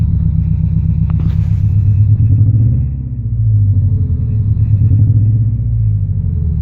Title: Misfiring? Running on 3 cylinders?